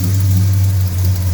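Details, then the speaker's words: Mopar V8 with headers, after new gaskets and welding the header: deep smooth idle, steady low rumble, no ticking or puffing; weld not blowing, exhaust far quieter. Normal idle. "nothing blowing down there at all i think i might have something trapping away somewhere i'm not quite sure where that weld is definitely not blowing and that is so much quieter that's unbelievable"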